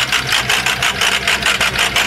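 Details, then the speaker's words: 6.0 diesel pickup with heavy blow-by from the dipstick: the idle pulses about five times a second with an uneven lope from one dead cylinder, caused by a failed lifter; the engine needs a full rebuild. "so this motor is shot it sounds like hell we can probably hear a dead skip back here see so you can hear the skip kind of going with the engine"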